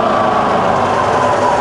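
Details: Rebuilt Bridgeport mill, variable speed head, 240V single phase, high range, spindle in reverse slowing from 2000 toward 1000 rpm: steady even motor hum with smooth whir easing down, no knocks or rattles; healthy spindle.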